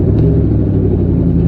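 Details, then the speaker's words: Mustang V8 with stage three setup, first real drive: deep loud rumble with rough chuffing edge from a horrible exhaust leak; clutch also poorly adjusted, engaging high, flywheel due for replacement. "as you can hear it has horrible exhaust leak for like this is my first time legitly driving the car"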